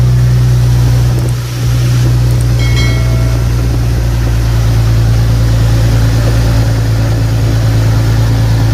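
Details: Nissan 370Z (VHR engine) started just after a serpentine drive belt replacement: a low, steady idle hum with no squeal or chirp from the belt, healthy.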